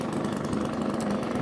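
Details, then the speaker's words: 1954 Atco kick-start mower with a Villiers Midget two-stroke, started on half choke after sitting seven or eight months and a carburettor adjustment, running normally: a small two-stroke buzzing at a steady, even beat with no misses or knocks. "jumps into life now it baffled with me why people want to go battery power when you can listen to that absolutely fantastic little two-stroke engine on this lawnmower"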